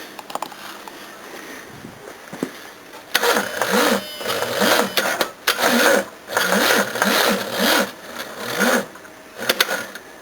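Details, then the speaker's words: Thailand-made battery cranking a 351: several short, laboured cranking bursts that turn slowly and never catch; battery too weak, fail. "Yeah, that one's too weak as well."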